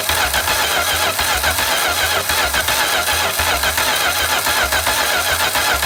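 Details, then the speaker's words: Home-built V8 trike, hot restart after a no-spark wiring fault was fixed and possible leftover oil in a cylinder: loose, uneven chuffing just over two beats a second, running lumpy; earlier puffs unexplained, head gasket suspected but unconfirmed. "huh start is hot genius okay I gotta figure it out it was a wiring issue I had no spark not sure what those puffs were from earlier"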